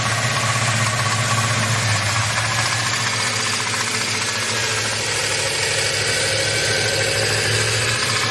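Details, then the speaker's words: Chevelle with turbo 5.3 V8, warm, around 2,000 rpm at cruise or light throttle: light, irregular metallic rattle over steady engine hum; runs and starts fine, no power loss at wide open throttle, source not yet found. "uh the chevel 5.3 turbo the engine is making a weird rattling sound and I have no idea where it's coming from"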